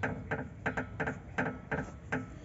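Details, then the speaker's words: Ford Edge 2012: when the rear suspension is rocked, short rubbery creaks repeat about three times a second from the rear sway bar (stabilizer) bushing. The planned fix is to take it apart and apply silicone grease. "Mexe aqui na bucha do estabilizador, pessoal, ó. Faz barulho, ó. É aqui, pessoal, essa bucha aqui, ó."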